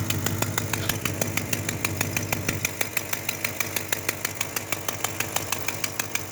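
Sharp, even puffing tick about three times a second at steady idle, crisp above the engine hum, typical of an exhaust leak.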